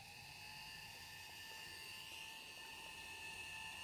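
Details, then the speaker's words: Dapol 0-4-0 Sentinel 'Molly' model locomotive running in at about half speed: thin, steady high-pitched motor screech over a faint hum, squealing loudly; motor noise judged excessive. "Now, normally a bit of motor noise is okay, but if you can hardly hear yourself think over the screeching, I think there's probably an issue there."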